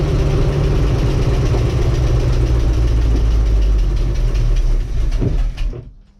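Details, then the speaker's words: Bayliner boat with a Mercruiser Alpha 1 Gen 1 sterndrive: the engine catches with heavy, low, uneven knocking, then stumbles and dies; the owner suspects vacuum makes it cut out, and the knock source is unknown. "So it's just something, it turns on the key, but then if you listen closely you'll hear the knocking noise."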